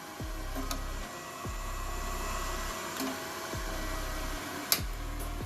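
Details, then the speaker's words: Epson F2000/F2100 DTG printer fan after replacing the clogged air filter with a homemade cabin-filter one: low, even fan hum with a soft recurring sweep, no strain or rubbing, fan spinning freely with little resistance. "Alright, here's with the replacement filter installed, what it sounds like."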